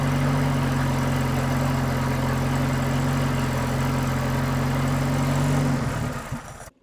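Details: RA28 Toyota Celica, newly installed engine idling after first start, cleaned thermostat housing, carb nuts tightened, coolant warming around 36 degrees, radiator uncapped; steady even low idle with smooth beat, then switched off and winds down; normal idle.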